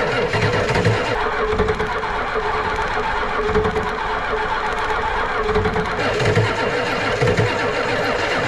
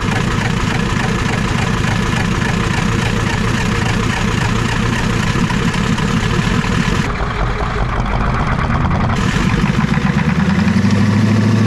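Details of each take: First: Ford 7.3 IDI diesel cranking on a nearly flat battery to bleed air from the injectors: laboured, uneven, dragging starter thumps that never catch. Finding: slow cranking from a dead battery; a second battery is added and the glow plugs reconnected afterwards. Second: Ford 7.3 IDI diesel just revived after long cranking: even, steady diesel clatter at idle with no misses, then smoothly rising to high idle. Engine running healthy.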